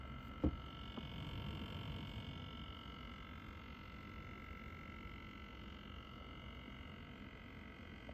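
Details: NZXT Kraken Z73 AIO cooler pump in a quiet room: constant thin buzzing hum of several steady tones, found unbearable; pump buzzing, cause not identified.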